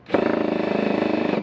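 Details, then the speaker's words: Hammer mechanism of a new Makita DHP481Z (XPH07) combi drill engaging in driver mode with torque turned fully up while driving a screw: fast, even hammering about twenty bumps a second; hammer not shutting off, likely faulty from factory. "you can hear already that it's actually hammering"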